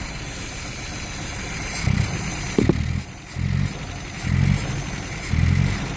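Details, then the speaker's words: MGB running after a loose starter-motor wire was found, choke makes no difference: revs rise and fall in uneven bursts with a lumpy, shaky note, rough running; owner suspects a misfire. "Sounds like she might be missing to me. The engine's quite shaky."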